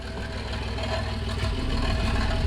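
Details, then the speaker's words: 1988 Toyota FJ62 Land Cruiser at steady low idle, recorded under the car: faint loose metallic rattle as the catalytic converter shakes on a rusted-through exhaust hanger with loose joints on both sides; old exhaust before replacement. "you can probably hear you probably hear a holly for rattling and stuff like that so just up just up here you know whether you can see that up there the hanger for the exhaust pipe has completely rusted through which has allowed the catalytic converter to like shake around a lot"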